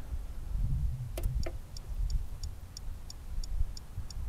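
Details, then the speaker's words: Common rail injector from a Bobcat on a bench test kit at 5000 psi: faint, even solenoid ticks about three a second over a low rumble, but the injector never fires or sprays; stuck closed internally. "okay very faint tick i can't really hear much of anything coming from that injector but you can hear that solenoid trying to fire so pump it up there's 5 000 psi 5000 psi and it's not firing that injector so that tells me that something stuck closed inside this one"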